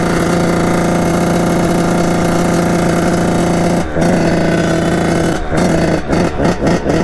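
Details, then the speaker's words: 1989 Kawasaki KX80 big-bore 110 two-stroke being ridden. It idles perfectly, but the revs break up in choppy blips at full throttle and never hit the power band. Owner suspects jetting; not confirmed. "so it idles perfectly and just when you go full full gas just it doesn't hit that power ban"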